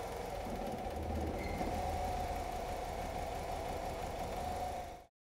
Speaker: able it temporarily to induce a spark misfire and if you listen carefully you should hear the vehicle misfire and then it returns to normal